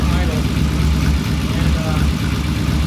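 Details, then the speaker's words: 1974 Norton motorcycle after the ignition timing was set and the idle turned up slightly. Steady, even low thump at about 800–900 rpm with no misses or knocks; sounds good. Normal idle. "All right. It sure sounds good. Yes, I agree."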